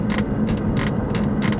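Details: 2019 Toyota Camry four-cylinder while driving: over the road hum, a dry squeak repeats about three times a second from interior trim around the armrest.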